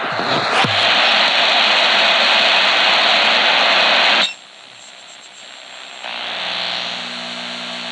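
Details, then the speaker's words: EcoFlow Delta 3 Plus 1800 W power station AM radio interference test, radio right in front of it: hiss drops, then a steady raspy buzz with a fine tonal edge from the inverter. "so we do get a buzz from the inverter whenever"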